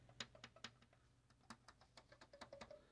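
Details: 2002 Zenith TBBR1352Z TV/VCR combo front panel after its broken power and play buttons were replaced with smaller low-profile tact switches: crisp, light clicks several per second, snapping cleanly as healthy buttons should.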